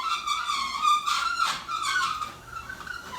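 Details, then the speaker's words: Garage door opening after its opener travel system was reprogrammed: a squeaky, wavering high squeal rises and fades as the door travels, coming from one side. The owner says the track needs lubricating. Dry garage door track squeal. "really need to lubricate that door. It's coming from that side."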